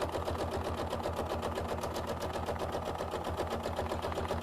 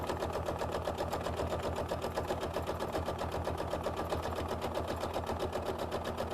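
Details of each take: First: Sewing machine quilting a small quilt-as-you-go piece of batik: steady hum with an even light tap near four per second as the needle punches through stiff sizing and leftover wax in the fabric, which is normal. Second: Sewing machine stitching quilt-as-you-go blocks with 12-weight thread: steady, even tapping at about four per second over the motor hum as the needle punches through stiff sizing and wax in batik fabric.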